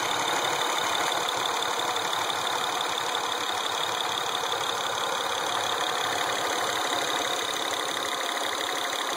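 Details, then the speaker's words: Acura TL engine at idle: steady high whirring with a faint, uneven ticking on top; something doesn't sound right, cause unclear. "Alright, so you can see there's something doesn't sound right."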